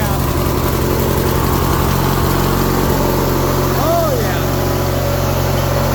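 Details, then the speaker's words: 1990s Murray riding mower sat about six to seven years, idling on fresh gas with choke half out after cleaning work that proved unneeded; steady even twin-cylinder putter with no knocks or misses; normal running. "yeah that's what you like to hear it runs good too it sounds really good"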